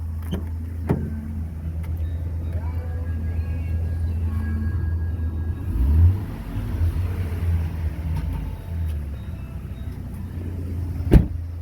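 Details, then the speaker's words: 2003 Dodge Ram V10 8-liter, hood open, after belt tensioner pulley replacement: smooth low hum swells briefly on a throttle blip and settles back, no chirp or squeal; engine and belt healthy. "it's just the belt running that you hear. It's not making a chirp, chirp, chirp like it did when it was cold before."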